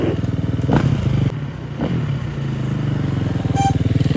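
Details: Neighbor's large dirt bike, sat unused for years, test ride after revival with coolant looking full: crisp single-cylinder thump picks up cleanly on full and part throttle, settles evenly, no misfire or rattle; runs properly.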